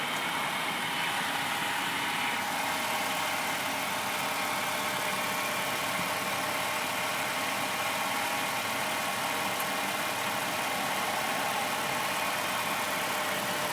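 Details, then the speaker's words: 1996 Honda Civic 1.6, after replacing the radiator fan thermo switch, engine warm: steady even rushing whoosh over quiet idle, no rattle or flutter; radiator fan running normally. "radiator is going to need a little coolant we're waiting for the phone to kick [Applause] in"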